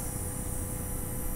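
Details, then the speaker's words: Small DC motor driven through an H-bridge by PWM from a Tasmota microcontroller, with the duty cycle lowered until it is nearly stopping. Faint steady hiss over a soft low hum, no knocks or rubbing. Normal slow running. "Podem ver que ele está girando mais devagarinho. Bem devagarinho, quase parando, ó."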